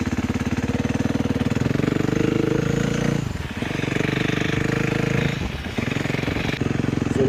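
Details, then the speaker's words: 2012 KTM 350 EXC-F (four-stroke single, fresh battery) on a quick test ride: crisp, even beat with brief dips on each shift, picking straight back up; shifts through the gears smoothly, running fine. "Shifts through the gears pretty smoothly."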